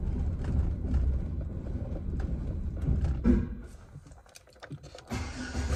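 Low idle stumbles unevenly, sags until it almost dies around four seconds, then catches again; rough idle, cause not pinned down.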